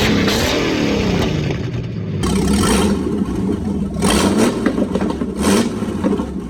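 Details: Jeep with swapped engine, new starter and battery connectors, radiator just installed, first runs after sitting seven years: engine catches and runs, revs rising and falling with some clatter underneath, then settles and keeps running on its own.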